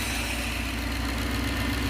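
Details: 1969 Gloria supercharged V8 at first proper start: steady, even idle with constant hum and no tapping or knock; normal idle.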